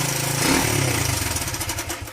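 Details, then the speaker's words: 41-year-old imported Honda XL125S single-cylinder, after fitting a brand-new carb from another bike; throttle blips rise crisply and drop back smoothly with no stumbling or popping, responsive and working. "It's responsive, it's working. We've ordered a new carb anyway, so what we'll do, we'll just drop the new carb on the other bike."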